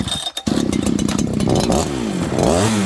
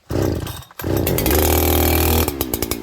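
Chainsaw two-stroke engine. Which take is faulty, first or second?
first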